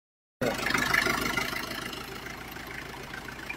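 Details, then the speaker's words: 1987 Isuzu Panther diesel at idle after tuning and additive treatment: steady, even clatter with no stumbles, smoother with less vibration than before. "Iya halus ya suaranya halus toh getarannya juga kurang toh"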